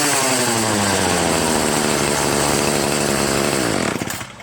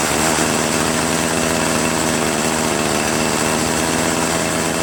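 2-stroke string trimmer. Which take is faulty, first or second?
second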